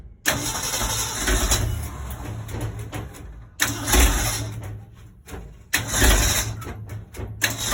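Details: 1965 Ford Econoline 100 pickup, long sitting and previously tinkered with: repeated cranking that catches raggedly and dies, uneven lumpy firing; number 1 and 2 plug wires were swapped on the distributor cap, giving wrong firing order.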